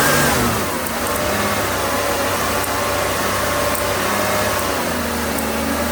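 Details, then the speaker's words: 1994 Buick 3800 tuned-port V6, pre-OBD2, running poorly with a misfire on cylinders one and four. It now holds a steady idle with no stumble and all cylinders firing. The coil is seen leaking, the number-four plug gap is wide and the plug wires are original. "you know i see that coil leaking that coil's leaking at least it's firing now"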